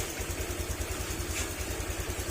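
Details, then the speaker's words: Honda Click 150 scooter after overhaul for oil starvation damage, no check engine light: soft, even idle with the earlier metallic tang-tang tapping gone; quiet, healthy engine. "Wala na yung wala na yung tang-tang-tang-tang. Hindi na siya nagtatag-tang-tang na pa."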